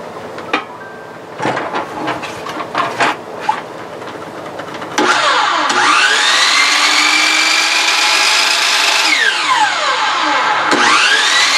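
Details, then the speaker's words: DeWalt 12-inch miter saw after replacing the armature bearing, switch and belt: the motor spins up quickly to a high, even whine, holds steady and coasts down cleanly with no rumble or rattle. Healthy motor. "Sounds like a brand new machine."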